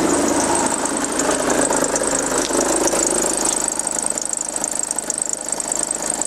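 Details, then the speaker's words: 2009 VW Passat B6 2.0 TDI, high mileage, timing belt changed about nine months earlier: a diesel idle with rough fluttering chatter and a high hiss; spraying the ribbed belt changed the noise, so the belt or a bearing is suspected. "also keilgrippenriemen entweder irgendein Lager oder der Riemann"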